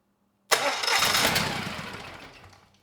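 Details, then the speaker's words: Generac XG10000E generator, about 10 years old, only 12 minutes' run time, fuel left in carburetor, choke off, dry NGK BPR6HS plugs: catches with a sharp burst, runs rough about two seconds, fades out; carburetor delivers no fuel to either cylinder. "okay that is all I needed to see I mean the engine sounds good and the generator is making power the issue is the carburetor it is not delivering fuel to either cylinder"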